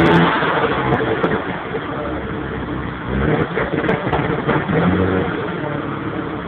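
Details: 1992 Mitsubishi 3000GT VR4 running: uneven engine note that stumbles and surges through the revs instead of pulling cleanly; engine misfire, cause unknown.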